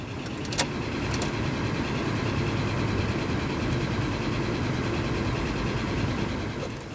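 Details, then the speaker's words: Rover 25 with K-series engine, cylinder two plug unplugged. It starts as it should, but the idle is uneven and lumpy with a hesitant beat and runs exactly the same. Owner concludes the cylinder three coil pack is faulty. "again that's starting as it should do but it's still not running quite right just tried it again with cylinder number two unplugged and it's running exactly the same so it's a problem there"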